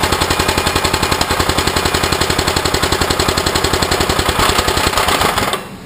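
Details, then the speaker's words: 389cc 13hp off-road kart engine first started after sitting 6–7 years: sharp rapid knocking, about three or four raps a second, over the single-cylinder running; owner unsure whether oil isn't getting through or the connecting rod is at fault. "Started right up. Ran, it did have a knock in it, but I don't know."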